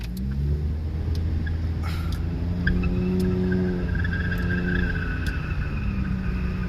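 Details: Car driven at steady speed with its driver-side wheel visibly tilted in and the steering wheel jerking violently back and forth: a heavy, low droning rumble pulsing with road speed. A severely misaligned wheel is scrubbing and shaking the car.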